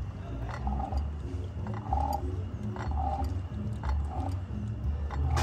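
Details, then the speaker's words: 124-cubic-inch Milwaukee-Eight Harley engine, previously welded crank, turned slowly by hand during teardown after a noisy failure on the road. A soft knock comes right at the bottom of the stroke; the rear rod has side-to-side play and the pistons are scored. "definitely has a weird sound down there for sure"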